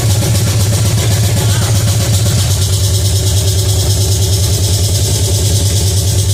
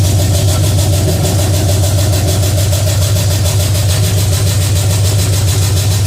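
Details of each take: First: Pontiac 350 V8 in a '50 Pontiac gasser, first fire-up, timing about 8 degrees, steam from moisture: fast, steady, heavy idle that never settles down; high idle. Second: Pontiac 350 V8 in a '50 Pontiac gasser after changing plugs and adjusting the idle screw, makeshift coil wire: steady idle, even low rumble with light rapid chatter on top; normal idle, runs better.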